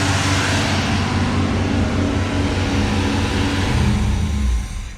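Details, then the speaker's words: 1984 Camaro Z28, L69 HO 305 V8, 700R4: holds a fast idle well above normal, not settling; idle screw already backed out, throttle hung up on choke linkage, flicking it reset it. "The the throttle was hung up. Something with the choke. The throttle was hung up. Flicked everything and it kind of reset itself."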